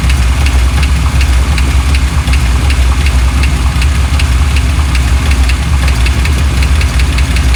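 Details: 1987 Chevrolet C10, just revived after sitting: light regular ticking, about two a second, over a deep even idle, changing pace at one point; valvetrain-type tick, source unknown.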